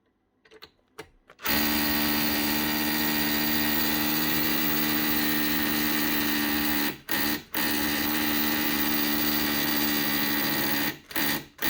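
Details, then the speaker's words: Makita DHR242 18V cordless SDS hammer drill, just over a year old, customer reports starting and stopping: steady high buzz drops out abruptly and picks back up, cutting out only when the drill is rotated certain ways; trigger switch or battery suspected. "no still doing it must be something else only doing it when rotate the drill certain ways can do it in any position"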